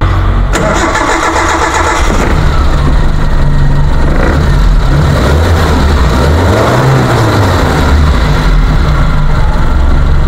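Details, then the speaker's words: 2001 Suzuki Carry Futura pickup with a carbureted engine, described as dry and not smoking, started and then revved: it catches promptly and settles into a steady, even low rumble at idle and sounds normal when revved, with no knocks, misses or odd noises. "ini kondisi langsam suaranya masih halus Oke kita blayar tadi juga suaranya normal kita blayar seperti ini tidak ada suara-suara yang aneh ya"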